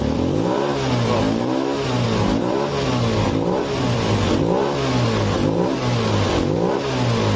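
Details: Honda Beat Pop scooter lacking power at full throttle: engine surges about once a second, roaring as throttle eases off full, normal at half throttle; faulty throttle position sensor.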